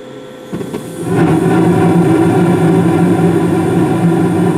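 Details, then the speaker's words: 2016 Carrier gas furnace at start-up: the main blower comes on about 23 seconds after burner ignition, settling into a smooth, even hum with no rattles or scraping, flames steady blue; normal operation. "so you probably can't hear it all too well but the the main blower did come on I think I said about 23 seconds afterburner ignition"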